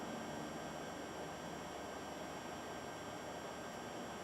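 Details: Sony VPL-AW15 Bravia LCD projector (about 2007) after repair of the main bottom blower fan that caused a fan error: steady even airy whoosh with no rattle, pulsing or grinding. Normal fan running.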